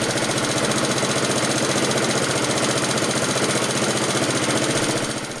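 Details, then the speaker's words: Laser 46cm lawnmower, Honda GCV135 engine, Keihin BB carb, after reassembly with new heat shield gasket, air filter awaiting replacement: even, steady idle putter with regular firing beat, no hunting or surging; running smoothly. "Yep, it's sounding good, so once the new parts come I can finish it off and that'll be job done."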